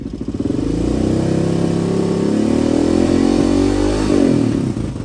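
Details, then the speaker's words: 1986 Honda HRC XR628R (XR600) dual-carb single during jetting: revs up easily when throttle is rolled on but still breaking up past half throttle, with faint pops on overrun; lean backfire popping, richer secondary helping. "It's still breaking up pretty bad past half throttle. If you roll into the throttle, which I'll show you here, it goes pretty easy. Breaking up again."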